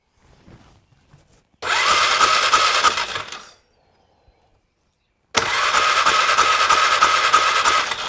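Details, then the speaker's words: 2001 Polaris Scrambler 500 2x4 ATV with new-looking spark plug out, testing for spark: two bursts of steady starter cranking about three turns a second, never catching; no spark, traced to faulty CDI. "I'm not getting any spark whatsoever. Let's take this kill switch off and see if we get anything."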